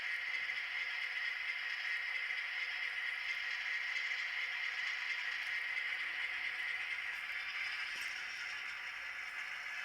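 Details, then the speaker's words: Broadway Limited Imports N-scale SW7 locomotive at 3% throttle after bearings, gears and all moving parts were oiled and greased; smooth, even whir with steady light hiss and no knocks or binding; runs as it should, normal running. "now at a 3% throttle, that's right, 3% throttle, it runs the way it's supposed to run."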